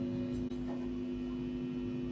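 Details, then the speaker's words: Amplifier being assembled, tested with all supply wires to the tone control disconnected: a constant low buzzing hum of steady pitch persists. Possibly mains hum, source still being traced. "Sekarang kita tes dengungnya ada apa enggak. Bismillahirrahmanirrahim. Dengung ya."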